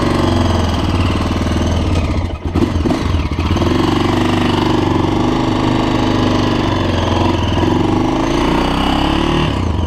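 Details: 2006 Honda TRX400EX Sportrax hybrid build, first ride after completed heat cycles: a single-cylinder thump revs up and settles smoothly with no knocks or rattles through throttle changes. The clutch shifts smoothly; the engine runs good and sounds healthy.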